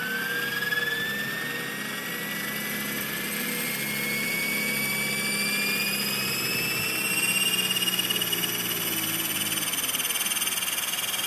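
High whine climbs steadily as the rotor spools up, with a rough buzzing pulse riding over it; vibration somewhere in the head or drivetrain.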